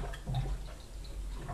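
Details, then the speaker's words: Kitchen sink drain with drainboard basin, for 3–5 minutes after water drains: irregular low bubbling gurgles from siphon suction in the unvented house drain pipe, no clog; fixed by adding a vent tube. "Tal como estáis oyendo, este sonido un tanto desagradable, un tanto molesto, se produce después de tirar agua en el fregadero y suele tardar pues unos 3-5 minutos dependiendo del día"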